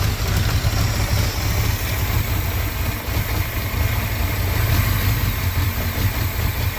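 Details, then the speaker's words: 1981 Honda Goldwing after fixing vacuum leaks caused by a single-carb conversion, just started easily: low, steady, even idle with a smooth rumble and no misses, knocks or hiss; vacuum is good, though the idle may need bumping up a little. "i might wanna bump the uh idle up a little bit just because this bike can rot grab up to can rev up pretty high so some tuning on the carburetor is required but as far as the vacuum stuff sounds like it's good to go"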